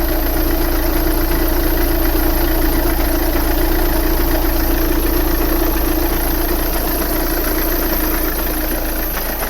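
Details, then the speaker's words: 2009 VW Tiguan 2.0 TDI diesel with a recent fault: lumpy, hunting idle about four beats a second with revs jumping and the car shaking, sounding like it runs on three cylinders; blue-white smoke and a stinking exhaust, misfire suspected. "well let's see if you will pick up the revs jumping a bit so the car is shaking a lot i can see the revs and the car is shaking like you can feel"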